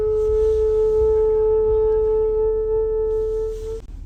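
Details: 2019 Ram 1500 Bighorn stopped in drive or park: steady, pure droning hum at one pitch. Caused by an A/C valve sticking open. Pressing the A/C button temporarily stops the hum, but it returns.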